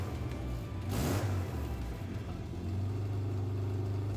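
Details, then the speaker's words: Subaru Brumby swapped with Forester EJ20 engine, rough puffing rumble and quick rev; exhaust leaks at joints because no gaskets fitted. "you can hear 47 exhaust leaks though but it doesn't have any gaskets still doesn't have any gaskets to this day"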